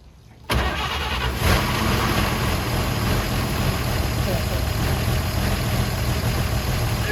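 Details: 1953 Chevy 3100 pickup, 235 inline-six not run in over 40 years, fed fuel by squeeze bottle into the carburetor bowl with choke and starter fluid: engine catches abruptly and settles into a steady even idle; starts and idles.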